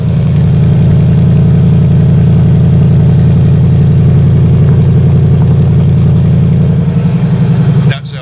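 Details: 1979 Chevrolet K20 Custom Deluxe square-body truck, V8, after the alternator pulley squeal cleared up: deep loud steady idle burble, no belt squeal or knock, until shut off. Normal idle.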